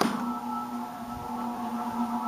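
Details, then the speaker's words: Furnace blower on a newly installed N4H3 heat pump system, just switched on at startup: an even motor hum with smooth air rush and no scraping or ticking. It sounds healthy so far. "sounds good so far good sounding blower nice and healthy probably lasts for a thousand years"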